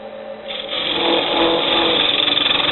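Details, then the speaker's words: Lathe turning a wooden travel mug insert with a freshly sharpened tool at about 1,300 rpm: once about 1 inch deep, the earlier vibration dies out into a steady even scraping hiss, cutting smoothly. "Once you get about a 1 inch down, the vibrations seem to die out. Again, because the amount that you're hanging off the edge is much more tolerable."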